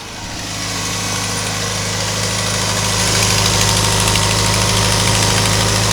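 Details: 1992 Ford Ranger 2.3 at idle, engine reportedly rebuilt under 4000 miles ago: fast even tick about four per second over constant hiss, appeared suddenly; cause unknown, engine otherwise runs well.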